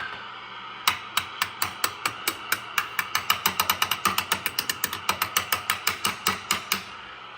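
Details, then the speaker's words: Swan 700 tube radio receiving with no antenna, hissing, tapped about thirty times with a screwdriver handle: each tap rings as a sharp metallic ping in the audio. Microphonic noise; the audio output tube is suspected and will be swapped. "something in the receive section has a little bit of chatter to it not bad but so I have no antenna on now I'm just letting it hiss see if I hear any static and there is a bit of crap on the signal it's not bad but well that sure seems microphone"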